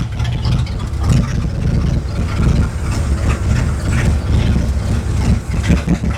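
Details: Lowered Ford Galaxie V8 that fires right up: deep idle that is lumpy and uneven, with irregular stumbles and dips in the beat; it is misfiring intermittently at idle.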